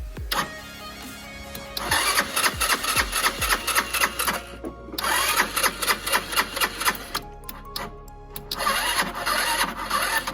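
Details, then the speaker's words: Lexmoto FMS 125 after valve clearances were set, a new spark plug fitted and the throttle cable refitted: the starter churns in repeated whirring bursts with no firing as the battery goes flat; it won't start because the tank is empty. "Well, battery's going flat now, but it didn't start, it didn't fire straight up, so still got issues. But what is the issue? Got to find out. There'll be no fuel in it right now."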